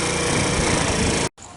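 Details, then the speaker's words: Tao Tao Thunder 50cc scooter, kickstarted, idle lowered with the idle screw, owner suspecting valves still out of adjustment: busy, even single-cylinder chatter holds steady before cutting off; running normally again. "So it seems like it's good again. Seems like the Tao Tao's running."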